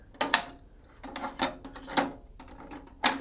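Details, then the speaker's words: Pioneer CT-W604RS twin cassette deck (1994–1996): uneven clicks and clunks every second or two with no steady spooling; transport slips and won't fast forward due to worn, weak drive belts. "and on Deck B it does play but it won't fast forward and so the belt's clearly getting weak on that side as well"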